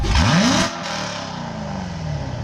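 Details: C7 Corvette V8, headers, X-pipe, stock exhaust, heard from the rear: sharp rev climbs quickly and drops back to a deep even burble, no knocks or rattles; normal revving.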